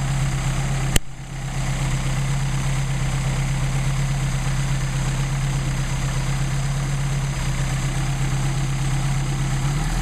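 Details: Mercedes 190SL with rebuilt Solex carburetors warming up before adjustment, about 99° ambient: low, steady, even idle with no misses or hunting. Carbs feeding properly.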